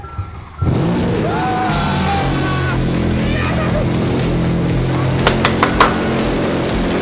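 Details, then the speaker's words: V12 car starting: catches at once and settles into a smooth, even burble, no misses or knocks, music in background; normal start and idle. "Guys, that's amazing, man. God, that thing sounds so good. V12. That freaking V12 just spitting."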